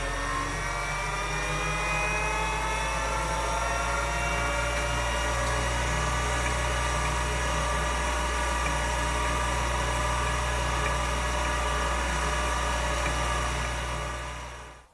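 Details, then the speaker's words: Finch drive on a Centurion minicomputer, mic held close, after exploratory work on the drive: a steady rising whir as the platters spin up, with no gravelly humming or grinding; a smooth, healthy-sounding spin-up. "that sounded brilliant that sounded perfect that sounded exactly like it's supposed to sound there was no Gravelly or gross humming or grinding going on it was just smooth and perfect sounding"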